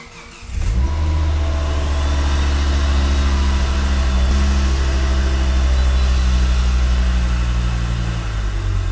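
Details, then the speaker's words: Volvo S60R after repairing a burnt valve and cylinder head, timing marks checked: engine catches after cranking and settles into a steady, even run with smooth rev changes and no misfire, less smoke than before; normal running. "there's definitely less smoke so that's good that sounds a lot better than it did when it had the burnt valve"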